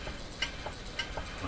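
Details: Canadian Admiral 5E38X clock radio during RF alignment: light, sharp ticks about every half second over a hiss as the tuning capacitor gang is opened. A wire was catching in the plates and the gang seemed to hit an end stop.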